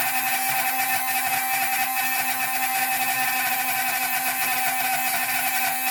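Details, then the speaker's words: Drilling a hole in sea glass for jewelry: the bit is started on the bench, then the glass goes in water. A steady, constant high squealing whine means the bit is biting in and cutting well. "And that squealing, that's actually cutting. It's cutting pretty good, so it shouldn't take too long."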